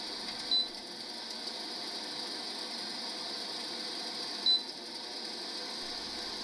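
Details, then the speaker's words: GE window air conditioner AHC12LYW1/ACH14AZW1 with 88 symbol and flashing lights, powering on only about five seconds while still blowing cold: two short high beeps over steady fan hiss, a control board fault. "my lights were flashing the machine was beeping every time it was plugged in and it would only power on for about five seconds but it was still blowing cold air"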